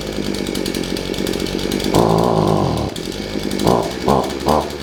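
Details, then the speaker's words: Shindaiwa AH242 hedge trimmer two-stroke, brought in for only accelerating when choked, just started on choke: idle buzz with crisp throttle blips rising and falling cleanly; normal running. "put it on choke give it a minute to warm up starting on the first pole is a good sign oh"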